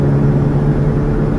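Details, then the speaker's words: 2004 GM vehicle on a test drive: a constant, steady low drone over road noise, likened to a WWII airplane, from a prematurely worn front wheel bearing that is probably not yet loose. Recorded before the bearing was replaced. "now we're going to see what she sounds like sounds like a world war two airplane"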